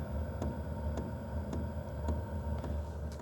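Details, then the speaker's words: BougeRV diesel heater at startup on 120 V house power, 12.3 volts: crisp, even ticks about twice a second over a low fan hum; the fuel pump dosing normally on a healthy startup. "So, it's ticking. Um, it does say that the fuel pump, the air blower, heater core, everything's working."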